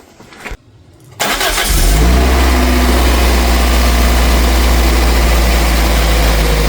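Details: Toyota MR2 Mk3 Spyder first start after installing a de-catted header (pre-cats removed) with heat wrap: short crank, quick catch, strong steady deep idle, no knocks or misses; healthy start.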